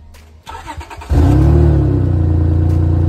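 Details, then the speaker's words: Honda at idle with an exhaust leak at the flex pipe, which is leaking heavily and bent, likely from hitting the ground; the planned fix is to cut the section out and weld on a washer mount. Loud, uneven puffing chuff. "oh the flex pipe is leaking quite a bit as well as this is kind of bent from I think this hit in the ground and just like the constant pressure up"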